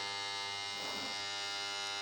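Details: Single-phase DOL starter contactor switched on: steady, even electrical buzz holds without flutter or chatter; contactor pulled in cleanly, normal hum.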